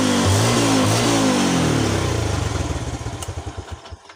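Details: Yamaha Jupiter Z1 single-cylinder with regulator (kiprok) disconnected but charged battery fitted: revs briefly, then firing pulses slow evenly and die away to a stop; ran normally on battery alone.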